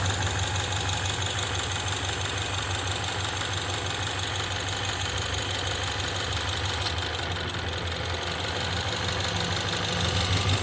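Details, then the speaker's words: 2016 Ford Mustang 2.3 EcoBoost with a poorly installed replacement engine, 128,572 miles, flashing check engine light. Uneven lumpy idle with stumbles about three times a second, engine shaking badly. Misfire. "Look at how it's flashing, which means it's misfiring. This thing is shaking bad."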